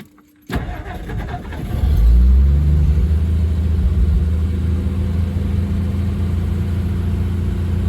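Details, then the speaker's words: 1962 Mercury Monterey Commuter after ignition tune-up and Pertronix kit, new coil, cap, rotor, plugs, wires; carburetor still needs adjusting, choke suspected not working right: short crank, clean catch, smooth steady fast choke idle, no misses; normal start and idle. "Okay. So with the choke on, sounds pretty good."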